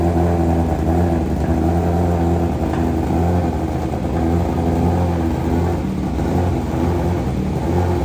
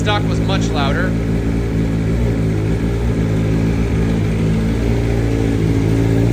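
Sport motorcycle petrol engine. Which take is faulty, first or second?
first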